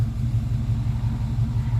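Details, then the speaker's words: TBI-converted vehicle at the smog shop, warmed hot on the freeway, regular octane fuel: deep lumpy idle with slight stumbles and mild misfire; owner suspects the cold or spark plugs, or a bad sensor, idle jumping around. "so it's running a little rough it's not firing quite right I don't think it's gonna give me any better numbers"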